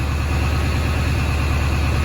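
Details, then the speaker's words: Ford 7.3 diesel just fitted with a Hydra tuner, set to position 2 (cold idle-up, meant to be 1200 RPM): steady, even diesel clatter at raised idle, no misses or knocks; normal high idle. "2 is supposed to be idle up. That seems to work. It's supposed to be 1200 RPM idle"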